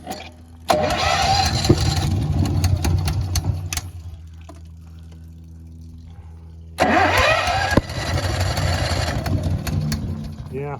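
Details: Honda EB11000 generator on a 20 lb propane tank in cold weather, after primer: two bursts of cranking a few seconds each, never catching; cranks but won't start, owner suspects tank excess-flow valve tripping and low tank pressure.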